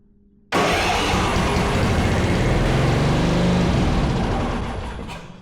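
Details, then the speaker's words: Yard Machines 638 RL riding mower, choke open, with starting fluid sprayed into the throttle: fires abruptly, runs hard a few seconds, then fades; starter and ignition are fine, so a fuel delivery fault (hose or carburetor) is suspected. "It's not a starter problem. It's not an ignition issue. It's not a gas issue. Well, could be related that there's a fuel delivery problem."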